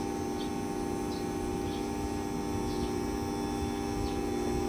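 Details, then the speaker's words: Daikin aircon outdoor unit that had been shutting off after about a minute, after adding refrigerant from a low charge of about 80 up to 125: steady compressor hum and constant fan tone. Now runs continuously and cools normally. "Ibig sabihin ay okay na yung lamig ng aircon. tuloy-tuloy na rin yung andar ng outdo bumaba 14 solve"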